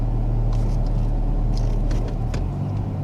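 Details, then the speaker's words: 2000 Toyota Camry after fixing a cylinder 4 and random misfire by replacing the plug wires and clearing the codes: steady, even idle in gear with no stumbles or misses, misfire counters at zero. "let's start it up rounds beautifully no hesitating let me run through the gears"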